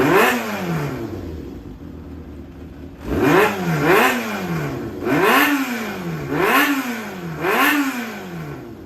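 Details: Yamaha XJR400 (4HM, early model) running engine assembly, compression tested, no abnormal noise or white smoke; crisp throttle blips rise and fall evenly with no knocks, rattles or misfires; healthy engine.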